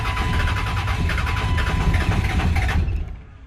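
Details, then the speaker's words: 1999 24-valve Cummins diesel, 304,000 miles, sat 2–3 years, first firing with injector lines deliberately left loose for bleeding before tightening. Uneven, lumpy diesel clatter with a ragged beat and missing pulses: rough running from loose injector lines. "We'll let that pump run one more time, and it's gonna run like shit because them injector lines are loose, so it's gonna sound bad."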